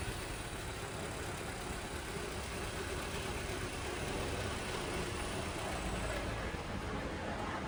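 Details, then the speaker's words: 2019 Honda Civic after replacing the cracked drive belt, noisy auto tensioner and idler pulley: steady, even idle with no squeal, chirp or rattle from the belt side; belt drive now healthy. "Belt crack हो चुकी थी, टेंशनर के अंदर भी आवाज़ थी। अब गाड़ी का साउंड आप सुन सकते हैं, किसी किस्म का कोई भी साउंड नहीं है।"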